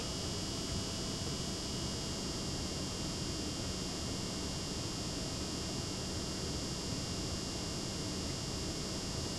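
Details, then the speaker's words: Replacement pump in a Lian Li PC-Q08 water-cooled HTPC, newly filled loop, with the pump voltage being stepped up from lowest toward full: a faint steady electric hum with a soft high whine and no rattle or gurgle. The pump is running quietly and normally. "I'm going to about 3/4 and now I'm going all the way full full full uh full vol voltage now you can definitely hear that it's not that bad"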